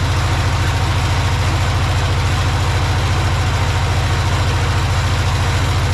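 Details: Project tractor's small petrol engine, fed fuel from a Lucas oil additive container into the hose, with a slightly leaking fuel pump diaphragm. Steady, even low chugging at constant idle with no misses or knocks. Normal idle.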